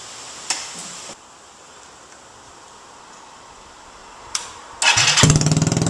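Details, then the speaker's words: Yamaha Zuma BWs125 scooter with a Leo Vince header fitted on stock nuts, O2 sensor reattached, started without the muffler section: quiet at first, then loud, sharp, raspy running with no damping, very loud; unmuffled exhaust. "So like any of my exhaust installations, I'm going to fire it up without the muffler part, just to see how loud it sounds."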